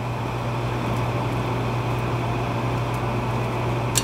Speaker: Gas valve is going to open. Hear that click.